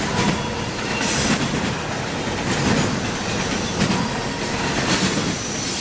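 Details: CSX intermodal train passing in Georgia: a shrill, high screech comes and goes in bursts about once a second over the rumble and clatter of the passing cars; wheel squeal.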